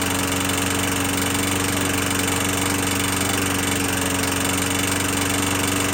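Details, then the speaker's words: 21-inch Murray 125cc push mower after valve adjustment, oil showing metal sheen: holds speed but lumpy, uneven beat about three pulses a second with harsh rattle; owner suspects internal damage, possibly from running without breather cover; not worth fixing. "but to me it seemed like it's a internal damage and really not worth time"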